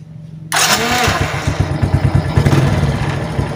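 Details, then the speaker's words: Suzuki Titan/Smash that bogged and died on throttle with a drained battery, now fitted with a good battery: brief starter whirr, then the single fires at once and settles into a steady, even idle putter; normal start. "nah kita langsung tes hidupin ya kita starter aja karena ini udah akirnya udah Masih normal"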